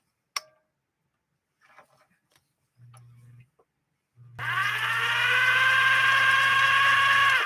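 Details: Viking 21E sewing machine in its slow reduction gear at 1/5 normal speed: the motor spins up to a steady whine held back by the gearing while the needle ticks slowly and evenly, about three stitches a second; normal.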